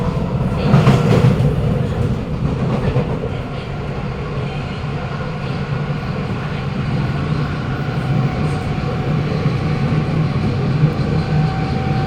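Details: Kawasaki Nippon Sharyo C751B train, car 1351, Bukit Gombak to Jurong East, in poor condition: pulling away, low rumble with wavering hum and faint whine; odd drive noise under acceleration, source unclear.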